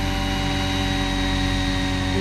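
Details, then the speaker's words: Roban Bell 407 RC helicopter after a re-gear, hovering: a steady whir with a brief squeal rising in pitch near the end. This is gear lash, with roughly 3–5 mm or more of play between the tail and main gears. "seconds to kind of a squeeing sound what what is that that that's just the the Lash in the gear"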